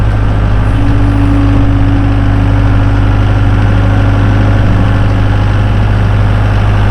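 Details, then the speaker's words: 2012 Bobcat S185 skid steer with a 4-cylinder turbo diesel and 6693 hours, running: even, low diesel drone at steady speed with no knocks or misses. Runs smooth and healthy. "This is a 2012 Bobcat S185 diesel skid steer. Just listen to this thing purr."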